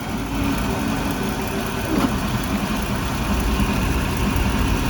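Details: Marine Power 5.7L Vortec 335hp engine, noise only after warming up: deep, rough rumble with a faint steady tone over warm idle, rising slightly with a little throttle; source not identified; abnormal engine noise when warm.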